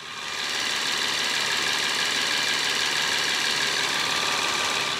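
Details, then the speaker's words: BMW 760Li V12 idling after new plugs, coils, crankcase breathers and hoses: a loud, steady high-pitched hiss-squeal over a light patter. Owner suspects a vacuum leak or faulty aftermarket crankcase breather valves. "engine fired up absolutely fine it sounds sweet but we do have a loud and high-pitched uh noise coming from it sounds like it's coming from this area in particular"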